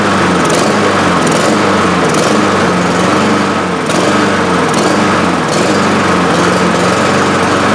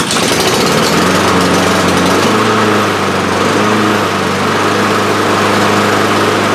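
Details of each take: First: Honda HRR2156 push mower that runs and dies, new carburetor fitted last season. Engine runs but hunts and stumbles with uneven surges about once a second instead of a steady governed note; intake air leak found. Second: Honda HRR2156 push mower after fixing a previous botched repair and the choke, started with the throttle in the choke position: catches right away and settles to a steady, even drone without surging; normal start and run.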